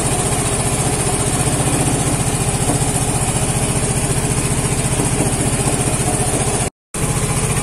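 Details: Vespa Matic scooter after repair of a sudden no-start, running with charging voltage at 14.6 V: steady, even putter at a settled idle with no knocks, misses or hunting; idling normally.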